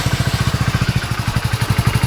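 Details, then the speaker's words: Hero Splendor BS6 single-cylinder motorcycle idling after repair for a bad engine noise: even, steady thump about twelve beats a second, sounding healthy; timing chain suspected noise source; normal idle. "আওয়াজটা দেখো কত সুন্দর।"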